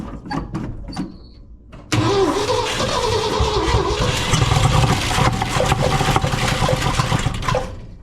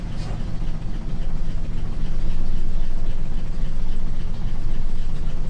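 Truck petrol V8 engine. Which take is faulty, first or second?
first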